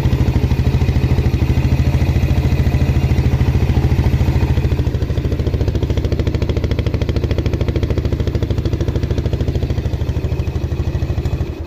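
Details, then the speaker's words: Used Yamaha Jupiter Z bought in poor condition, after double clutch replacement and added second reed membrane; steady, smooth single-cylinder thump at about three beats a second with no rattle, much smoother than before, healthy idle. "yang pasti suaranya jauh lebih halus dari sebelumnya"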